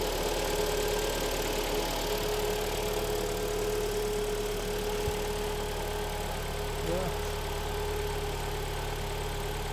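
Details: Kia Sportage 3 (in use since 2012), AWD automatic, 180 mileage, cold start at idle: steady low hum from the cold automatic gearbox under an even idle; low fluid level suspected, and the hum reportedly goes away when Drive is engaged.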